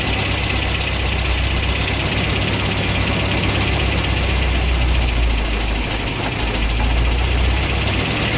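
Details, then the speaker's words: Toyota 22RE four-cylinder dually truck just after Redline Beast Cam install, distributor timing set to about middle: steady even idle, slightly lumpy beat, no knocking or misses; sounds good though owner can't tell if lumpier. "i think it sounds pretty good but uh i can't actually tell if it's any more lumpy or not"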